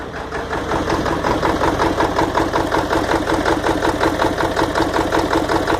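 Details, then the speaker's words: 1997 Ford F250 Power Stroke diesel with a hard-start problem, idling after starting: lumpy, heavy uneven beat with a wobble; owner suspects it is running on about six cylinders, cause unknown. "So there she is. Sounds like she's running on probably 6 cylinders, I don't know."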